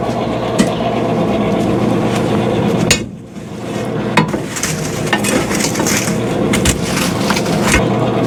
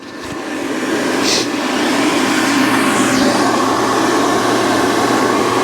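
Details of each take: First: 2017 Central Boiler Classic Edge 550 outdoor wood boiler, original combustion (draft) blower before replacement, still working: fan hum broken by irregular metallic clinks and rattles; it was removed and cleaned a week earlier without curing the noise. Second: 2017 Central Boiler Classic Edge 550 outdoor wood boiler, combustion (draft) blower just replaced, mic held up to the fan at power-on: it spins up in about two seconds to a smooth, even whoosh with no rattle, far quieter than the old rickety blower.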